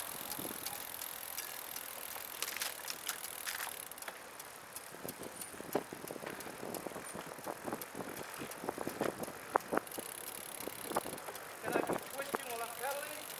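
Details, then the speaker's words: Ben's trike, riding on a bike trail: a sudden, growing tick from the rear wheel under pedalling, seemingly keeping time with wheel rotation over soft tyre and chain noise. Not derailleur-related. Suspected spokes, wheel bearings, a fender bolt touching the tyre, or a loose spat. "I'm not sure exactly where that's coming from it sounds like it's based on the wheel Revolution yeah I'm wondering if maybe a fender bolt or something is lightly touching a tire"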